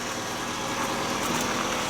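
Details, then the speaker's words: Toyota Estima (right-hand drive), after decarbonizing and a repair for a knocking noise; smooth, even idle with a steady hum and no knocks, ticks or misses. It now sounds like a normal Toyota. "теперь всё нормально мы на ней же делали раскоксовку же вот и теперь вот теперь она хоть работает как нормальная машина вас послушайте как нормальная тойота звучит"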